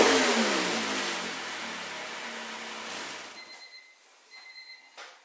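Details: 2000 Honda Civic with the stock exhaust, recorded before installing an eBay 4" rolled-tip exhaust: sharp rev, then engine speed falls smoothly back and settles quiet, no rattles or pops; stock exhaust sounds normal.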